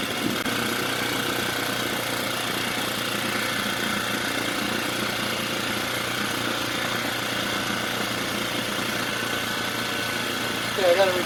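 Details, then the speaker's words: Mercury 4/5 hp two-stroke outboard with new carburetor, after a no-start diagnosis, buzzing evenly at a fast, high-pitched idle with no hunting; idle set too high and needs reducing. "I gotta reduce the idle. Push the flywheel. Does that sound appropriate? That sounds more appropriate."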